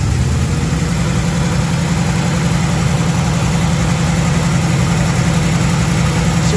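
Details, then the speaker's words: 1936 Chevy coupe, 350 small-block V8, HEI distributor, pre-warmed: fast steady idle with even lumpy beat, revs noticeably high after timing change; idle needs turning down. "I mean about the revs going up, so now I need to turn the idle down."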